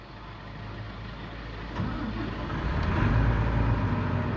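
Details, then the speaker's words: Volvo EC480D excavator diesel after replacing the filter, to fix RPM dropping to idle 10-20 seconds into operation: short crank, fires and settles to an even, steady idle, then gains RPM as needed when unlocked; problem solved. "machine I have started now I turn this accelerator dial unlock the machine machine is unlocked so viewers you can see the our machine is operating and it's getting the RPM as much as he needed"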